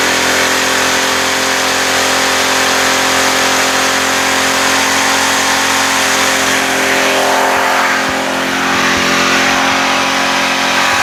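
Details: Pressure washer engine with a loud, steady, high-pitched roar that never drops back. RPMs are far too high; the spring adjustment is at the linkage under the top cover.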